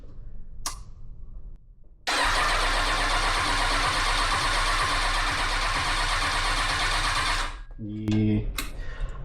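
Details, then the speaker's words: Kawasaki ZX6R 636 project on a rigged battery with a new chip key, FI light flashing and fuel pump not priming: the starter whirrs evenly for about five seconds but the engine never fires. An immobilizer fault is suspected, with the key to be coded to the ECU. "I think it's an immobilizer issue so we're going to go back to the locksmith apparently he can code this key to that ECU"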